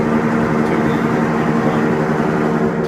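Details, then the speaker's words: Kimball washing machine on final spin, recorded about twelve feet from the unit: steady, heavy roar with a low, even hum throughout and no real rhythm; spin cycle noticeably loud for a small washer. "because that a small unit like this a pretty pretty obtrusive sound so there you go"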